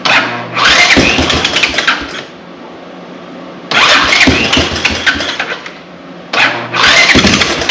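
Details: Honda TRX200 ATV, about 40 years old, parked after running low on oil. Idle screw turned down two turns, no throttle given. Single-cylinder catches and surges to fast revs in repeated bursts: idle set too high.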